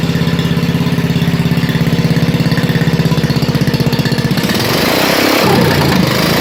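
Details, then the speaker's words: 1987 Wheel Horse 211-4 off-road mud mower with snorkel, started cold: small single-cylinder thump at a slightly uneven beat turning rougher and louder; carburettor jetting issue, owner thinks lean yet it smokes suggesting rich; idles once warm. "still has a little bit of a jetting issue I think it's running a bit lean it smokes a little so it kind of indicates that it's running rich but it'll idle under its own power it just has to warm up a bit"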